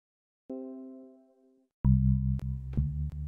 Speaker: once everything is routed through voice beat or banana using the focusrite as a driver as the hardware out we get crackling like this and with some troubleshooting i found that it is related to buffer size